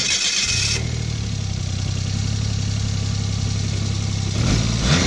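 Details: 2004 Arctic Cat Bearcat WT snowmobile after replacing the noisy fuel pump with a second-hand T660 Touring pump (it had stalled and surged around 10 kph; bad fuel the root cause): engine catches and settles to a steady, even idle, no stumbling.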